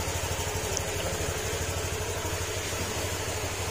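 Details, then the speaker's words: Honda Click 125 scooter after overhaul, fresh oil and coolant, first start; smooth even idle, steady low putter, former ting-tong knocking gone; normal idle, break-in still needed. "Ayan o, tahimik na siya. Wala na yung tang ting ting ting tong tong tong."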